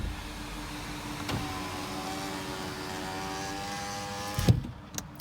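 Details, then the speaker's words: 2010 Toyota RAV4 driver's-side power window after silicone grease was applied: the motor hums steadily with a slowly rising tone, then a firm thunk as the glass seats; noticeably faster than before the fix. "Oh, a little bit of an improvement there. All right, let's do it one more time. Go up and down. Wow, much faster."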